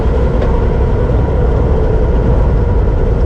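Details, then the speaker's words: Land Rover Defender cruising at about 95 km/h in neutral: steady low rumble and hiss of tyres on the road with no grinding or whine, normal tyre noise. "Yeah, that's pretty much all tire noise."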